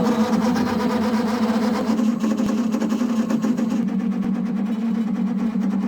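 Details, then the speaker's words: Narrowboat diesel heater hot-water loop just filled from the header tank; steady pump hum with rough churning rattle as the circulation pump pushes trapped air: air in coolant loop. "basically there's still air in the system and it doesn't like the air and that noise that sounds a bit crazy is the pump pumping air"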